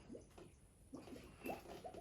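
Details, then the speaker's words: Vertical jet well pump being primed after resealing: irregular watery gurgles and sloshes in short bursts as air from the pressure tank purges back, before pressure comes back up. "i hear that walk that air that's the air from the tank so i'm going to go ahead and put this back in there"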